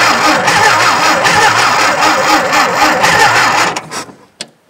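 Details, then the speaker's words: Tractor with a nearly dead battery and plugs the owner believes fouled again: starter drags the engine over slowly and unevenly, about two turns a second, then quits without starting. "That battery's pretty much dead. As you can hear, she's just barely rolling."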